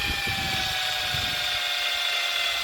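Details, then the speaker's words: Dead battery in a borrowed power tool, used the next morning while getting the tractor off: a thin, high-pitched strained whir that never picks up speed, then cuts out. The owner feared he had broken it; the battery is just flat. "Yep. That sound says I I was worried I broke it cuz well it was not functioning but it's just dead battery."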